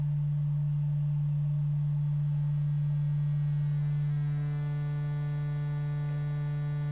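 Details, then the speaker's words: Adcom GFA-555 power amplifier, microphone at speaker during bias adjustment with a low test tone: clean tone turns harsh and buzzy as bias drops, crossover distortion from underbiased output stage, clean again near three millivolts across the emitter resistor. "you can hear it goes into that buzz now I do have audio so I'm not reading the true voltage across that he made a resistor"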